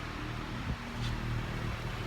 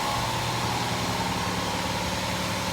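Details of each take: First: 2008 Honda Fit at idle after welding back the exhaust resonator, which had broken clean off the exhaust piping: a steady, low, even hum with no puffing, ticking or rasp. The exhaust is quiet and sealed again, a normal idle. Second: 2008 Honda Fit after welding its broken-off resonator: a steady idle with a raspy, hissing chuff. The muffler is cracked all the way through and is probably also leaking exhaust.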